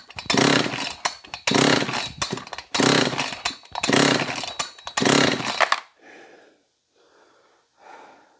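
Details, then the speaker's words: John Deere CS56 chainsaw (possibly an Oleomac 956/FCO 156), choke engaged, compression check: five strong, even recoil pulls about a second apart, then quieter rattles; gauge reads 135 psi, healthy compression, and it had already fired. "$135 on the compression. So it'll run with 135 pounds of compression."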